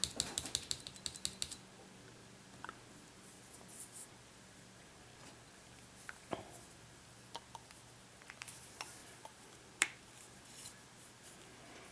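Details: 1994 Saab 9000 fuel injector on the bench during rebuild, after flushing: sharp, light ticks as the coil pings while the injector stays stuck shut; later opened with pressure.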